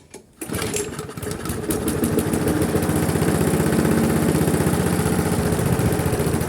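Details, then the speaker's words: Briggs & Stratton carbureted engine on a GGP (ex-Castelgarden) mower that kept stalling, after carburettor work: starts after a few cranks, then a slow steady chug about four beats a second that never gains speed; won't rev. "Ça tourne mais ça prend pas de tour. On va essayer de faire mieux. On va enlever le filtre à air, on va regarder si on peut lui accélérer, parce que là ça tourne pas assez vite."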